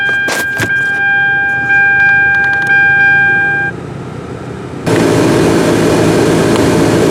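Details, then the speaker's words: Hyundai Sonata single-zone HVAC with no temperature change: after a few light taps on the stuck blend door actuator, clicks, then vent airflow changes sharply as the door swings hot to cold; actuator working again. "Just tapped on it a bit and voila, started moving. You can hear the air change. So there's the hot direction and here goes cold."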